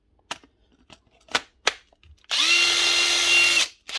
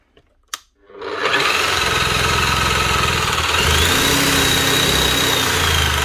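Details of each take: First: Panasonic cordless drill: high drill whine with a coarse, rough grumble from the chuck; the steel spindle bush is worn with some play, not worth replacing the whole gearbox. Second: Bosch H1E hammer after repair with new brushes: steady high-pitched motor whir with smooth even hammering rattle at constant speed; running healthy.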